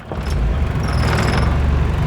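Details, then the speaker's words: Carbureted automatic engine in gear with AC switched on after fitting and adjusting an AC compressor clutch damper box to match engine speed; steady even idle holds with no dip, stumble or stall, where it previously died. "ก็เข้าเกียร์เสร็จปุ๊บแล้วก็มาเปิดแอร์ก็ไม่นะครับว่ามันจะดับไหมอ่าไม่มีดับนะครับ"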